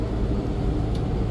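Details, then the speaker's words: Freightliner M2 bus diesel at idle: loud steady low roar that never drops off; broken engine cooling fan always on whenever the bus runs, not yet repaired. "but yeah that's one thing that has not been tended to yet is a broken windshield and a broken engine fan that's always on whenever the bus is running"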